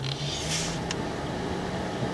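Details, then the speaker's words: Air-conditioned Chrysler 300K, blower fan checked while chasing faulty heater push buttons: a steady motor hum steps up in tone from low toward higher speeds, smooth and even, so the blower works normally. "so you can hear the fan is on low switch out"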